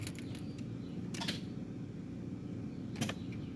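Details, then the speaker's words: Key turned to crank, voltmeter on the starter circuit holding at 0.2 V with no voltage drop: sharp scattered starter clicks over a low steady hum, no cranking; the starter itself is bad. "hopefully you guys can hear that starter clicking and that volt meter is not changing which means we do not have voltage drop uh this is simply just a bad starter"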